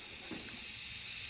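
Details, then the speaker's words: 6T40E transmission from a 2011 Chevy Cruze with a 3rd-to-4th slip, after a new drum and sealing rings: air test of the middle-clutch circuit, a steady hiss with a hard thump and no blowing or leaking, where it leaked all around before. "There's no leak there. Even if I put some oil in there, it's not leaking. See, it's not blowing anything up."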